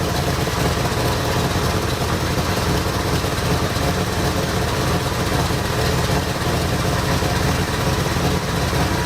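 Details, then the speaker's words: 1973 Ford Ranchero V8 at idle with a replacement knock-off carburetor (old Motorcraft 2150 swapped out): lumpy, uneven idle with a loose, wandering beat; timing light shows about 5°, later found to be less than zero. "looks like it's sitting at about 5° they could use them a little bit more"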